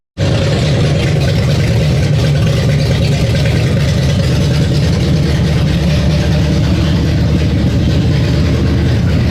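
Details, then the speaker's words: V8, down over a year, first start after quick initial carb and timing tune: steady loud carbureted idle, even firing, no knocks; runs fine. "It fires, it runs, it does a thing."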